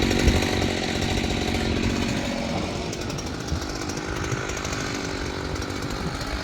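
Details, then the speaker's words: Repaired old Jonsered 630 chainsaw cutting wood with 30-inch bar and aggressive full-house chain: strong steady howl holds revs under load, pulls well; owner suspects clutch-side crankcase seal needs replacing, as it wanted to die when turned on that side. "I think this was doing pretty good because that's pulling a 30 inch bar with a pretty aggressive chain on it"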